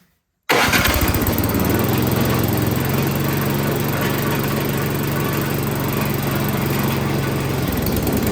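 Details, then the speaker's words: Toro PowerMax 7240E snowblower that reportedly sat 4–5 years with gas in the tank, first start with carburetor only partially bolted on: catches at once, loud fairly steady run with slight unevenness; slightly rough running, cause not confirmed. "Well, there we go. It's running. Maybe not the greatest, but I only had the carburetor partially bolted on there, so we're going to reassemble everything."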